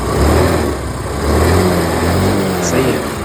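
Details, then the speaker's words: Yamaha Ray ZR scooter after carburettor slide refit (slide pin was broken), kick-started on a weak battery: small engine picks up cleanly on quick throttle blips and returns to smooth idle; now revs fully where before it would not rev, pickup problem solved. "Full accelerated हो रहा है है ना फल accelerator में काम कर"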